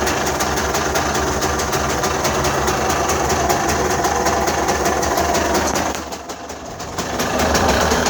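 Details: Mitsubishi Delica 6G72 V6 at idle: steady, even beat with a constant airy suction hiss near the throttle body. This is normal intake noise; a smoke test found leaks only at the airbox spring clips and an intake hose.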